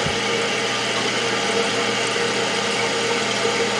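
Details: Toilet after replacing the fill valve with a Fluidmaster, tank refilling: steady even hiss with no chatter or squeal as the float rises and shuts off; repair successful, fill valve working normally.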